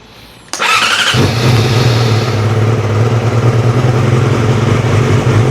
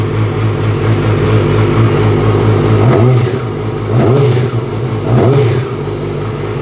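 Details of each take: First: 2006 Yamaha R6 after throttle cable and throttle body work: hesitant start, sharp catch, then steady slightly uneven idle; slow to fire, probably just needed fuel through the line; throttle feels better. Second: 2006 Yamaha R6 after replacing throttle cables and cleaning the throttle body for a sticky throttle: steady lumpy idle with quick blips that rise and settle cleanly; throttle responds crisply and revs freely without hanging.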